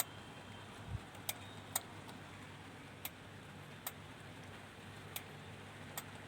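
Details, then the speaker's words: Denon AVR-2113 receiver that won't power on and has no sound: sharp, irregular clicks about once a second over a quiet hum. The protection relay is chattering as the 5.2 V supply drops; leaking capacitors were found and the regulators are suspected. "यह piece on नहीं हो रहा है। Relay की tuktuk की आवाज इसमें आती है। जैसा कि आप सुन सकते हैं।"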